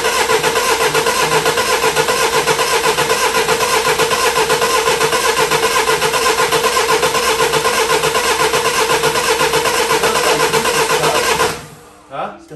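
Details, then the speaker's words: 2008 Mini Clubman R55 1.6 diesel (W40D16), parked two years; starter cranks evenly about two beats a second for eleven seconds without firing, no fuel rail pressure, fuel-related crank no start. "it's not leaking back and we still have no pressure do it again"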